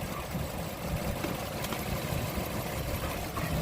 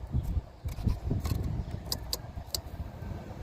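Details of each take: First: 2003–2009 Toyota Sienna V6 (3.3) with no-charge fault, main fuse temporarily bridged with a bottle cap: steady even low idle rumble, no knocks or misses; engine runs smoothly. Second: 2003-2009 Toyota Sienna V6 not charging: bridging the broken main fuse connector gives a few sharp relay clicks over low handling rumble, and the AC comes on.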